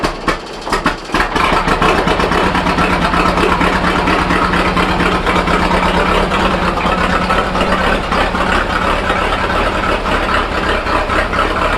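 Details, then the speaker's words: Fordson N tractor on TVO, not run for a while, started on choke: cranking catches after a second, then a lumpy, uneven chug with missed beats; kerosene drawn through causes hard starting and rough running until it clears. "Yeah, it's not run for a little while, so yeah, sometimes you get a little bit of kerosene up in, TVO, and it sucks that through. You have to just wait until it clears, a bit of extra petrol through, and eventually it'll catch and go."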